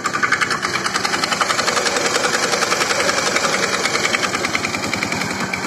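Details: Honda Scoopy FI idling rough with uneven, rattly knocking about three or four a second; white exhaust smoke after oil change, plug fouls quickly, stalls; piston and cylinder badly scored plus very weak fuel pressure; fix is new piston and new cylinder.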